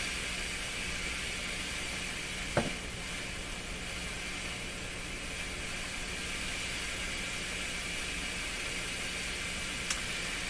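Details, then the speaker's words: Grundig 2030 AM/FM tube radio with low FM output: a flat, steady interstation hiss with no stations coming in. The FM side is still incredibly weak; cause not confirmed. "yeah well Memaw we're finding out here is the FM side is just incredibly weak still [Music] a volt meter telling me off that's the 100. no stations coming in"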